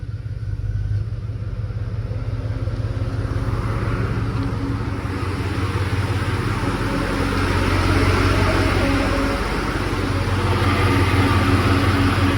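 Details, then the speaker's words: Cold 1999-2002 GM V8 truck with electric fan upgrade at idle: AC switched on, compressor clutch engages adding slight load, then the AC-controlled high-speed electric fan rush builds; normal AC clutch engagement. "my AC compressor clutch kicked on and then I have a high-speed fan that comes on"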